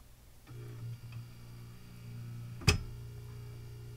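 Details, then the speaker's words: Form 1 3D printer, about a week old: low motor drone as the tray tilts and build platform lowers, then one sharp loud click followed by a sudden sideways drop of the platform; something suspected catching. "so that click and was followed by the sudden drop of the build platform to the side makes me wonder if there is some sort of thing catching"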